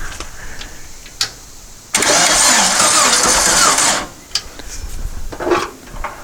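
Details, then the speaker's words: Long-stored dune buggy/sand rail after fuel was dribbled into the float bowl vent and carb: two seconds of labored cranking that almost starts but never catches; booster pack judged too weak, so the truck battery is to be used. "right i almost wanted to start let's give her a little more help so i think we need a little more power than the booster pack's going to provide"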